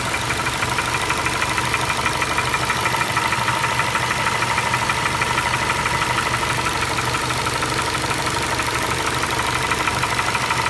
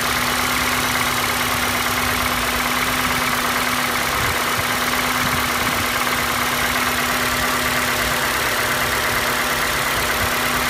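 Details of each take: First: 2012 Ford Escape 2.5L, fully warmed up and idling: steady, sharp tapping about three knocks a second, heard near cylinders two and three, sounding like the cylinder head but caused by a cracked cylinder block. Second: Normal idle of a healthy Ford 2.5L petrol engine (2012 Escape type), warm, for comparison: steady even idle with slight normal top-end noise and no heavy knocking, unlike the faulty engine's tapping knock between cylinders two and three.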